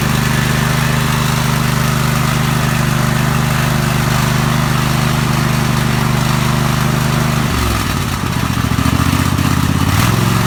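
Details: Small mower engine fired up after replacing a blown head gasket, choked at start; runs steadily with an even low drone, dipping briefly in speed before settling: normal running.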